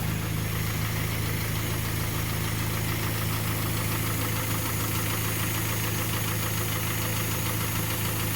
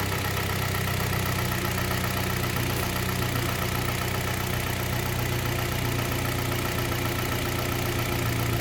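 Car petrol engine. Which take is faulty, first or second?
first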